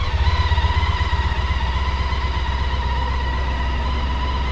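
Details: Honda ST1300 on stock exhaust: smooth, even exhaust drone with a steady pulse under light throttle; clean revving from a healthy engine.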